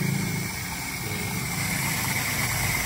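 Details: Suzuki Esteem 1300cc after a DIY carburetor service, idling before the idle mixture screw is adjusted, which is to be done once hot (about 20 minutes, cooling fan on): steady low even rumble without stumbling. Normal idle.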